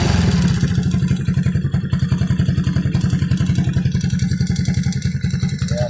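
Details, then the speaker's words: Warm 100/110/125cc motorcycle engine: a hollow marble-like knock three to four times a second over a low idle thump, heard after revving and releasing throttle. Piston slap from a loose, worn cylinder block bore; block replacement planned. "Uminit na yung makina, makalansing na yan. Pagka nag-revolution ka at pinitawan mo, saka sa tinutunog."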